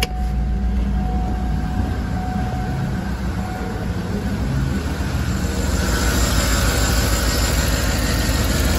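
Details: 2012 Cadillac Escalade 6.2L V8 at idle with an uneven low chuff and a loping skip; misfire on cylinder 7 from lifters stuck off, near-zero compression (below 25 psi), per TSB PIP4568S (check cylinders 1, 4, 6, 7).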